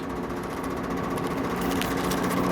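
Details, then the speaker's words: Miata engine while driving: rapid, steady, loud knocking over the engine drone, getting worse; first taken for lifter tick, and oil pressure drops low while driving; serious internal knock, engine to be replaced. "so embarrassing driving around with all this noise cuz everybody can hear it it's obnoxious"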